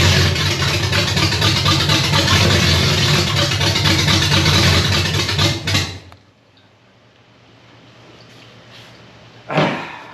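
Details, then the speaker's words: Chevy 327 V8 in a 1965 Nova wagon, first fire on a temporary fuel system from a gas can. Runs rough about six seconds then dies; a short crank won't catch. Stalls, not picking up fuel. "well I don't know how to get it to pick up fuel to do well"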